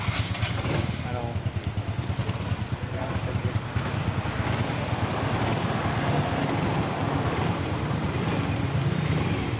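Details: Mio Soul i 125 scooter idling after starter relay wiring fix, no longer starting as soon as the key turns on: quick, even beat with no knocks or rattles; it starts and runs normally.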